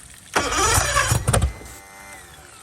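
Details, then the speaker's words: Marketplace boat, compression about 100-110 on all cylinders, after spraying starter fluid: about a second of fast cranking whir dying away without firing; cranks but won't start, owner suspects a fuel issue. "Okay. So, we're having some type of fuel issue. Some type of fueling issue."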